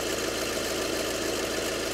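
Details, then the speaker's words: 2012 VW Passat 2.0 diesel at idle, bonnet open: steady gritty grinding hum from the compressor area, compressor outer part possibly not spinning; belt removal confirmed a seized, broken AC compressor. "i think that should be spinning i might be wrong so there you go that's the noise"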